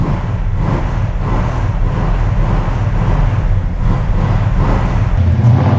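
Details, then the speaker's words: Numbers-matching Dodge Charger 500 V8, revved before a drive after new brake lines: deep rumble rising and falling cleanly with throttle, no knocks, misses or rattles; normal revving, sounds healthy. "is it loud it's not that are we sounds healthy"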